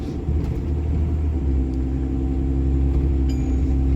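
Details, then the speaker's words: HO-swapped Cummins diesel truck on its first drive after the swap, cooling system bled and running cool, one check engine code pending: a smooth, even low diesel rumble with no knocking or stumbling; normal running. "but you guys can hear how smooth she runs"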